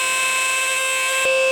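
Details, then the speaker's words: Juicer mixer grinder: high, steady whining hum with a shrill edge while running; dry motor bearings needing oiling. "तो ये grinder ऐसी आवाज़ निकालती है कि आप देखें और सुने कि ऐसी जब आवाज़ आए तो इसका हल क्या है।"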